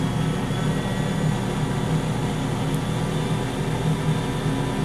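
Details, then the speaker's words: Jet-flame rocket stove with blower fan turned up to about 6 volts, air adjusting fire power: steady dense roar of flame with a faint fan hum underneath, even and unbroken; stove burning hard and normally. "the amount of power in the fire can be adjusted by how much air."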